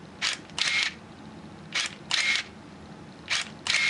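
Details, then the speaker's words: Minolta Maxxum 7000 film camera in manual mode at f22 and 1/4 second: three crisp, even click pairs about a quarter second apart as the aperture stops down quickly. Shutter and electronics working normally. "That sounds good. And if we look in the front, we can see the aperture stopping down nice and quick."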